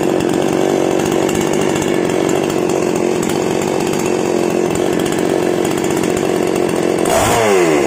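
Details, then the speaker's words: Outboard motor warming up after an oil change, done because it had sounded rough; steady, even buzz at constant speed with no misses, rattles or roughness, now running smoothly. "Kemudian kita akan memanaskan mesinnya. Alhamdulillah, ini bagus sekali."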